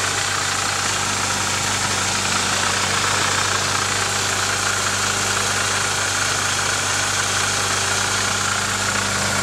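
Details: Nissan 240SX KA24DE at idle: fast, loosely regular metallic chatter about three or four per second; owner suspects timing chain noise, unconfirmed.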